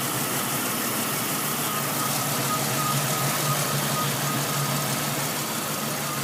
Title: Rough idle